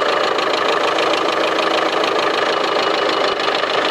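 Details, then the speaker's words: 2016 Land Rover Discovery Sport 2.0 Ingenium diesel at 101,407 km, cold morning start, idles with a rapid, sharp metallic ticking steadily over the engine note, recorded from the front, with the engine warning light on. "지금 이게 아침 초기 시동이니까 아마 소음이 좀 많이 발생이 될지도 몰라요."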